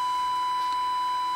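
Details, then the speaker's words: Baylor 6 radio after electrolytic capacitor replacement, 455 kHz IF signal injected at -7 dBm: steady pure whistle near a kilohertz holds unbroken at any dial setting; signal passes through IF stages. "it doesn't matter where you tune it on the dial that 455 will get through and it it's not exactly booming but it's at uh minus seven db dbm"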